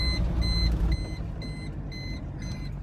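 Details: VW T4 van, 2.4 AAB non-turbo diesel, while driving: high steady electronic beep about twice a second over engine and road rumble with oil light flashing; unplugging and replacing the oil pressure switch hasn't stopped it yet, cause unconfirmed.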